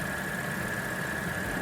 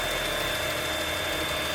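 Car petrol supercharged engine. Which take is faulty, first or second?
second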